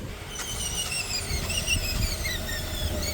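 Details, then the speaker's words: Toyota GX460 in low range, stock configuration with A-TRAC on, rolling at 10 mph: wavering high squeal and whine as traction brakes clamp the slipping wheel, audibly actuating; A-TRAC brake LSD working normally at 10 mph. "A-TRAC's working. Listen carefully, you can hear it actuate. Great. So A-TRAC's working up to 10 miles per hour."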